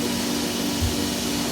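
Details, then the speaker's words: Felder H10 CNC router vacuum hold-down pump switching on via foot pedal before the spoil board program: steady droning, even rushing hum with a small bump at the start; vacuum running normally. "when you do that you'll hear the vacuum suck on and it'll also change your back to suction right here"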